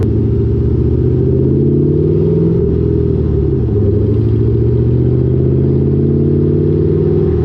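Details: Lowered car (rear coilovers) with Borla catback, after a header-wrap fix on the over-axle pipe: smooth low road-and-engine rumble under the car while driving, with no thuds or knocks; the exhaust no longer hits suspension components.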